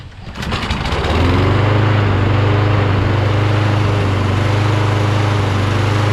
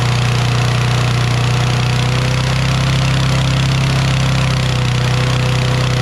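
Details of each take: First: Toro Recycler XT675 Kohler mower after fixing governor/throttle linkage position (governor was too far forward) and throttle plate orientation: starts first pull, settles into a steady, even drone without stumbles or surging; running smooth. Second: Toro Recycler XT675 mower, Kohler single-cylinder, restarted after sitting overnight: high steady drone, unloaded; governor adjusted the day before seems to still let it over-rev.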